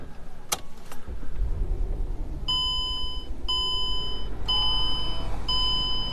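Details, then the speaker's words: Warm 2004 Mercedes-Benz E500 wagon V8, all-wheel drive, 330K miles, idling with an uneven, stumbling beat over a door chime: runs smoothly cold, then misfires worsening as it warms up; cause unconfirmed, owner may pull motor. "don't know if you guys can see it in the camera but the car is misfiring pretty bad and remember when i started it up this morning it ran smoothly"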